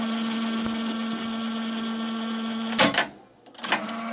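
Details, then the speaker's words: Akai CS-703D cassette deck running a tape: a steady mechanical hum with light whirring from the transport, louder than it should be. Owner suspects the belts need attention; cause not confirmed. "But now, are working, but it is making a little noise."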